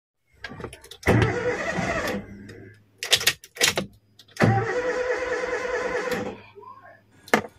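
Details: Toyota Avanza cranking in two long bursts with an even starter whir, never firing or catching; won't start, traced to low compression.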